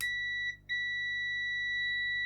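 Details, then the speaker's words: Continuity test on a replacement push-button switch soldered into a Bush DAB radio that powered on but whose buttons did nothing: clear steady high beep, briefly interrupted, confirming closed switch contacts with good continuity. "Let's test that with continuity so we should have continuity here which we do and here which we do"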